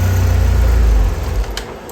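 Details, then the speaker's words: 2003 Saab 9-3 at idle before fuel pump replacement: fuse 2 (20 A) pulled to relieve fuel pressure; steady low idle sags, stumbles and dies quickly as fuel is cut; stall from fuel starvation. "So the way WIS recommends doing it is starting the car, letting it run, and then pulling fuse number 2 in the fuse box right here. That should reduce fuel pressure."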